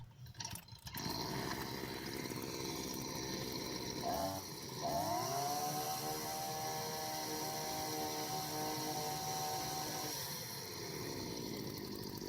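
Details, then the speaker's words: Two-stroke brushcutter, carburetor correctly adjusted with air filter fitted: buzz climbs to a steady high whine, holds cleanly with only a slight sag under load, then drops back; normal running, carburetor set right. "That's how a brush cutter should work. It should go slightly under load, cutting off a little bit."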